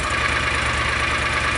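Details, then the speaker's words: John Deere Gator 625i UTV after the DIY auxiliary muffler install; even, steady idle with a muted exhaust note and no knocks or rattles, reading 82–90 dB settling around 82 dB. "So now is the moment of truth. We'll go ahead and get this thing started up and do another decibel test. It is definitely quieter."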